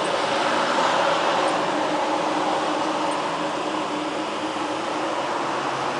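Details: Clear Channel digital billboard in Kent, Washington, about 30 ft high, outside about 60°F, heard from about 30 ft on busy-road sidewalk: steady even airy whoosh with faint hum over traffic; normal cooling fan running.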